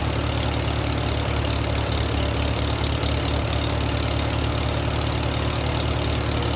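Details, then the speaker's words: Farmall H tractor after rewiring with a new coil hot wire and switch: steady, slightly lumpy low idle, running fairly decently; owner thinks the carburetor float is sticking, so it keeps flooding, with fuel controlled at the sediment bowl valve before it died. "I think the float is a little stuck. So, it keeps flooding out."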